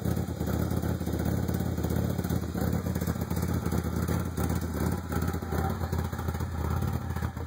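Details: 1995 Ford Probe GT with a rough idle: an uneven, lumpy, loping idle with irregular misses. Ran smoothly last year, then ran really rough after emissions repairs, new exhaust manifolds and a new rear exhaust half. Plugs replaced, original wires. Cause unknown.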